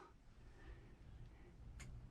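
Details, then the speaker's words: Camper rooftop air conditioner switched to cool: a single sharp click, the compressor runs, but there is no fan spin-up or airflow. Spinning the fan wheel by hand starts the motor. Failed blower fan motor and capacitor. "and you hear something click but that's it that's it you hear something click and that's it so what I did oh yeah you hear the compressor right you hear the compressor but there's no air movement"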